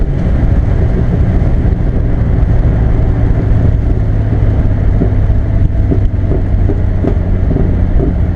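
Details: Barra-swapped Mustang drift car after replacing the faulty cylinder one injector with stock FG injectors; deep, steady exhaust rumble pulling evenly under throttle with no misses, knocks or stumbles: normal running.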